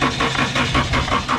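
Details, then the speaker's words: 2013 Scion FR-S, key missing its immobilizer chip, in neutral: even starter cranking at about six pulses a second with no firing; turns over but won't start, chipless key suspected, compression thought good. "I don't think it will turn on because the key is actually missing the chip, but I don't know, it might crank."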